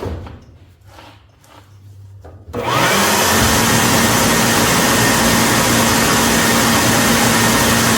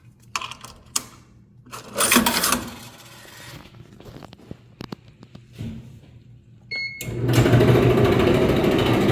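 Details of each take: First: Whirlpool dryer after drum roller kit replacement: quiet start then steady even whoosh and hum, no grinding or thumping; normal running. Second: Whirlpool Dryer Making Loud Grinding Noises #rollerkitreplacement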